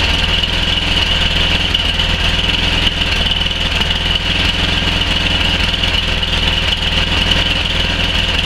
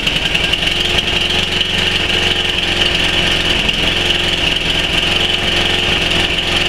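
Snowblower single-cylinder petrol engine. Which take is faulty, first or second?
second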